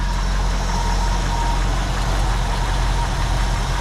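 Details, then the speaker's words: 1974 Ford Bronco after replacing both fuel tank senders, just started: deep, even low rumble with no misses, knocks or ticks; idles smooth and healthy. "Woo! Boy, it fought us dudes and dudetss. But what a smooth running hot rod this thing is"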